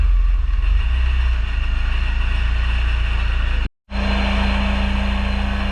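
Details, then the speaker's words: Honda S2000 AP1 with Science of Speed supercharger, Link ECU on base map, Walbro 255 pump, RC 750 injectors, first start: steady, smooth idle drone with a light constant whir. The supercharger rattles like rocks in a can; healthy idle. "And then, but yeah, overall it's idling nice and smooth. The Supercharger sounds like a can of rocks in a like a tin can"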